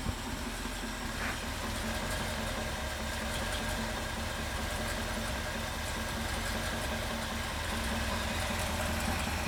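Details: Ford 390FE V8 idling on a run stand after swapping valve covers to add the PCV system: steady, even low rumble with no knocks or ticks, running healthy.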